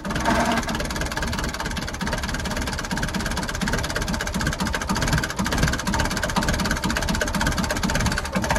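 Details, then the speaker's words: Perkins 4.108 diesel cold start after sitting almost a week, using the flame-heater glow plug system: engine catches and settles into a steady, even clatter at idle with no misfire or hunting. Healthy cold start. "that's the cold start of the Perkins 4108"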